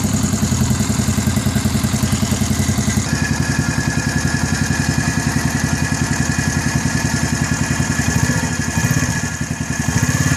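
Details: New Gilera 110 motorcycle at idle: a fast, even pulse with a rough, clattery edge on top. A strange engine noise whose cause is undetermined.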